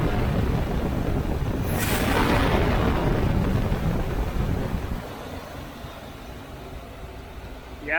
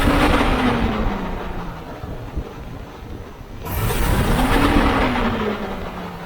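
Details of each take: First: Chevy 350 V8 in a C3 Corvette after fan clutch replacement: revs up and on throttle release drops straight back to a steady idle without hanging, with some wind noise; normal return to idle, confirming the old clutch was bad. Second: Chevy 350 V8 in a C3 Corvette, before fan clutch replacement: revs rise, and after throttle release they hang a second or two before slowly falling; owner believes the old fan clutch isn't disengaging.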